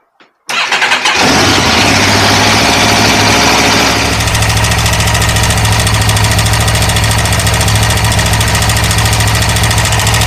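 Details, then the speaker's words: 2009 Aprilia RSV4 starts and idles with a busy metallic tapping rattle over the exhaust; collapsing timing chain tensioner, a known issue fixed by an updated part, grows louder as it warms and revs. "well there we go sounds a bit unpleasant that tapping sound uh with these aquilas they're notorious for the timing chain tensioner to collapse making it uh sound horrendous as this warms up it gets louder and louder and louder as you rev it up"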